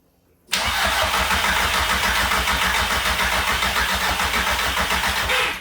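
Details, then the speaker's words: Nissan Micra swapped to an Audi/VW 1.8 20V turbo from an early-2003 Audi TT, on Tesco Momentum petrol, start attempt: the starter churns steadily at three to four beats a second for five seconds and never catches; crank, no start. "all right well that was a let down luckily we can scan for error codes to see if there's anything obvious that might be stopping the engine from starting before we start pulling things apart"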